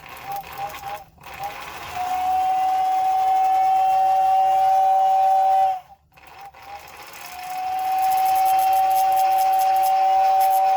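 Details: 1956 American Flyer #569 Whistling Billboard after repair of its non-working whistle motor (lubricated, brush screws adjusted): a clear steady high whistle sounds for several seconds, stops, then returns just as clean; the whistle works properly.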